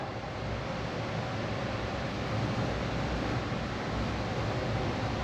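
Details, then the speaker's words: Furnace in a new woodturning workshop, running: soft, steady whoosh with no knocks, rattles or pitch changes, barely audible with the door shut; quiet and healthy. "Very quiet. I'll come out here and shut the door. Yeah, you can barely hear it running. That's not going to affect anything at all."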